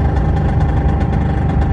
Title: P38 v8 4.6 loud noise when driving along. 2k revs and above. Under load.